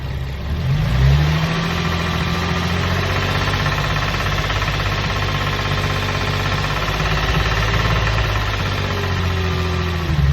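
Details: Infiniti G35 petrol engine with a fast rattling knock that grows more intense when revved; the cause is unknown to the owner, and an oil change did not cure it.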